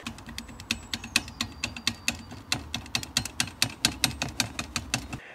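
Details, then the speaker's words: Lexus IS300 at idle: sharp, rapid metallic ticking, about five or six a second, over a low engine rumble; clutch damper rattle that started around clutch replacement, a noise many owners of this car report. "so that was bothering me so I was replacing the clutch when that rattle started to happen because a clutch kit on this IS300 and it's four or five hours labor to do"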